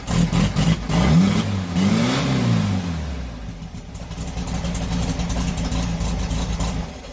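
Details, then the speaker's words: 1971 VW Super Beetle after engine swap and new clutch, first start: engine catches, revs up and down smoothly twice, then settles to an even steady idle, no knocks or misses; sounds healthy. "hell yeah she's alive"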